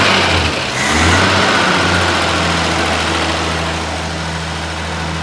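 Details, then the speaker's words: 1950 Chevy truck, long-sitting, first start after fuel system replacement and carburetor cleaning: old six idles steady with a high thin squeal over it, loudest at first; alternator belt squeal, otherwise running great, no fuel leaks. "Is that the alternator squealing? Yeah. It's running great, other than the alternator squeal."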